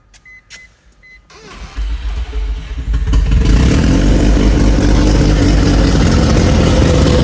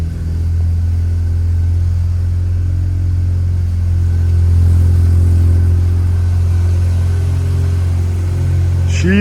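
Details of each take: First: Barn-find Mazda RX-7 rotary, first start after a complete rebuild and 25 years off the road: the starter whirs, then it catches and roars with an uneven, lumpy pulse and heavy shaking. Rough running from incorrect ignition timing; the turbo oil-feed banjo bolt was also leaking. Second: Rebuilt barn-find Mazda RX-7 rotary, after a missed spark plug that made it stall after 5 seconds was fixed: smooth, steady low drone with no misses or knocks. Normal idle, slightly high because the TPS is not yet set.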